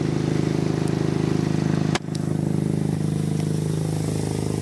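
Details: Exhaust leak on an MK7 Golf R at idle, heard as a steady puffing tick about four a second escaping from the braided flex section at the downpipe's bend; no holes visible with the downpipe installed.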